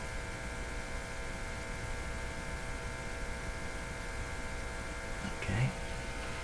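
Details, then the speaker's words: Philco model 53 shortwave tube radio on the broadcast band, tuned to 1500 kHz during the RF alignment check with volume up a bit: a quite distinct steady low mains hum with even tones from the speaker, source still unknown. "volume is up a bit it's quite a distinct hum coming out of this radio"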